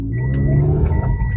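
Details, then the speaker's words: Toyota Avanza F652 with 3SZ engine, vibration noise on start and pulling off: while reversing, smooth low engine rumble with no buzz or shudder from the ABS unit; this sound is normal. "ini bunyi siling ya Ini bukan bunyi itu ya"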